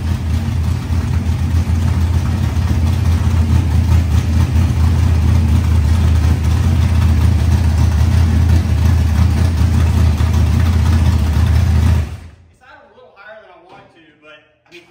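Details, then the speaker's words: Rebuilt 25-year-old SBC 400 race engine, run cold briefly with no coolant: deep steady V8 rumble at a fast idle, about four even pulses a second, before shutdown; idle too high, tuning planned. "so we'll we'll figure out the whole High Idol thing yeah dude that's like this sound so good though man"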